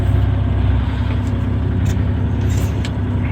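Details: Terex articulated dump truck with a Cummins M11 diesel, charging at 27.6 V, shifted into first and second: a deep, steady rumble pulls evenly with no clunks or grinding as it moves off. It sounds healthy.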